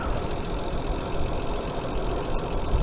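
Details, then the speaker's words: Hyundai Sonata 2.7 V6 after cambelt and water pump change: smooth even idle with light quick hydraulic tappet/cam follower tick, no squeal or knock; old belt/water pump squeal gone, engine healthy. "because it's quiet as a mouse now, apart from the tippity with the hydraulics tappets, but or cam followers, whatever we want to call them, depends what country you're in."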